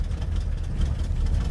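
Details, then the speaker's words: 1967 Buick GS 340 V8 after 15-20 years sitting, cold, oil pressure rising to about 22: deep lumpy rough idle then high idle; owner blames old gas, suspects it needs plugs; slight lifter tap. "that's that old gas you're hearing there we go there's high idle blow the cobwebs out on he probably needs plugs guys"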